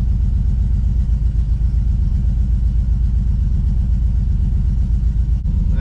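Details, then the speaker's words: GMC Squarebody with junkyard LS V8, after snugging up the spark plugs: heavy, lopsided low thumping at idle with one whole bank not firing; caused by a loose bolt on the ground wire at the back of the cylinder head. "still got some kind of mess that whole side is not firing something ain't right somewhere that whole side is not firing could it be a bad ground"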